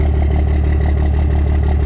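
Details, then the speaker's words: Diesel pickup, injection timing advanced to about 26 degrees, start and idle: loud hard diesel clatter with steady fast pulse, harsher than before; louder due to the advanced timing. "This engine's a lot louder with the timing at 26 degrees."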